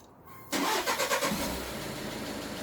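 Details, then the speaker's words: Skoda Octavia Mk3 diesel started after fuel filter replacement, filter primed via the VCDS transfer fuel pump test: brief crank, catches at once, settles into a smooth, even idle with no gaps or stumbles; normal start and idle. "As you can hear, there's no gaps. Everything working nice and smooth."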